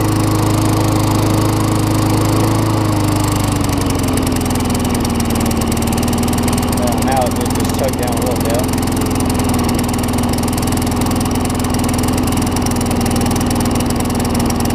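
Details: Craftsman self-propelled mower with Tecumseh single-cylinder engine, serviced, carburetor swapped from another Tecumseh, drops from faster speed to a steady, even running beat and holds it smoothly; sounds healthy, normal running.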